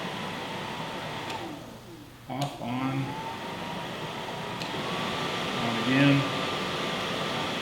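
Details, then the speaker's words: 1967 Mustang with a newly installed Classic Auto Air A/C and heat system, fan knob on high: steady, even rush of air from the vents with constant fan hum, no rattles or squeals; normal blower operation. "I got air blowing out of this vent, this hole, this hole, this hole."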